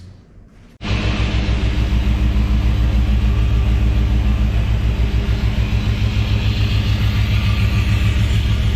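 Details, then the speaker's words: 1971 K5 Blazer, freshly LS-swapped with stock cam, first run with open exhaust: loud V8 idle with an uneven stumbling beat about three pulses a second; misfire and rough idle, owner suspects long-stale bad fuel, needs tuning. "it doesn't have a cam in it besides a stock one and it definitely sounds like it's got a miss so uh we'll have to do some fine tuning"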